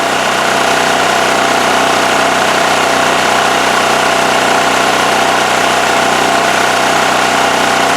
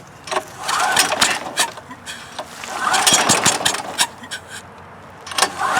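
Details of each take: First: Westinghouse WH7000EC 7,000 W electric-start generator after carburetor cleaning and with the plugged spark arrestor removed: smooth, steady note with no misses. Running well. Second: Westinghouse generator being rehabbed (dirty carburetor, dirty fuel, plugged exhaust), pull-started after starting fluid with the choke on: it briefly catches and sputters, then dies, with air hissing from the muffler. The engine catches but will not keep running.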